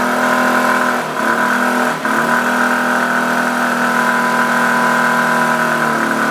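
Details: Suzuki Access 125 scooter: steady hum with a fixed mid-pitch tone that holds through throttle blips, source unclear; humming noise.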